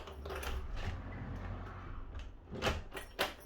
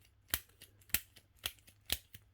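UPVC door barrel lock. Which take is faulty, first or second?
second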